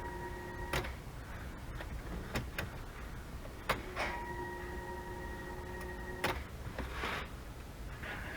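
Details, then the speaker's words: Nissan 300ZX Z31 with an LS swap, fuel pump newly wired to a relay: at key-on a steady electric hum lasts about two seconds and stops, repeating after a pause; healthy fuel pump priming. "so now how it is i should just be able to turn the key and we should hear the fuel pump come on there's the fuel pump"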